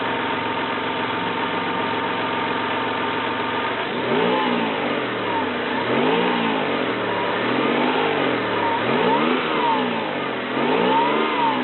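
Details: 1993 Toyota Camry, 206k miles, automatic: smooth steady idle, then several clean throttle blips rising and falling evenly, no knocks or rattles; engine runs smooth.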